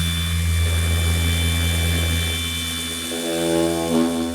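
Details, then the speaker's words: Polisher on an E30 M3's two-stage paint at about 50% speed: a constant low hum with a steady high whine, super smooth and quiet, no stutter or rattle, lots of power and hard to stall; normal polisher operation. "but I mean just listen to this thing just how freaking amazing it is just super smooth and quiet I'm running it at like 50% speed it has tons and tons of power"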